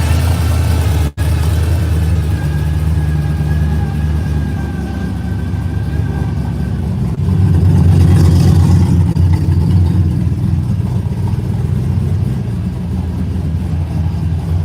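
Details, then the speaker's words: V8 started after long storage on race gas: loud, deep, lumpy rumble holding steady with a slight swell as it settles; normal cold start and idle. "She said, every time you crank that car, it rattles the windows in the house."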